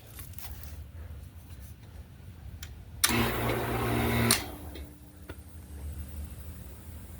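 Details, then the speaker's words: GE air conditioner condenser fan motor, formerly seized, after oiling; bushing missing, broken plastic piece inside: motor hums up just over a second then drops out, intermittent cut-out; owner suspects the broken plastic piece. "it went turned on I'm not sure why it's giving me intermittent on and off maybe it was just that little plastic piece that was kind of broken off in there"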